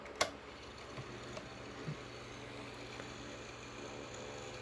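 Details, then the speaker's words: Sanyo desk fan after disassembly, bushing rework and motor modification: low, even hum with faint ticking, slight rear noise, otherwise quiet and smooth with no rubbing or grinding; sounds like a normal fan. "Does sound pretty normal. Trying to see if I can get it to where the threads look stable for a second. Anyway, it does sound like a normal fan."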